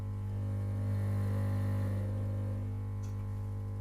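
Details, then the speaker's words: Compressor with cover on at maximum speed: steady, even low drone, no rattle, knock or wandering pitch; normal running. "И никто никуда не убегает. И ничего не дребезжит. Никуда. Это, кстати, максимальные обороты."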